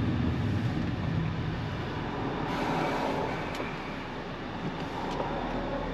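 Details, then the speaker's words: Audi A4 after driving over a mile with no oil and a holed oil pan patched, refilled with oil: steady, even engine drone under road noise with no knocking or ticking; runs smoothly and sounds healthy. "It sounds good though and it runs good and drives good."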